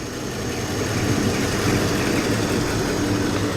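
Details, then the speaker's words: 1950 flathead Ford V8 Pilot, back on points ignition and original carb, oil bath air cleaner refitted: warming up at a steady, even low rumble with no misses, knocks or hunting, a normal idle. "is it is it warming up nicely now yeah it's good hand"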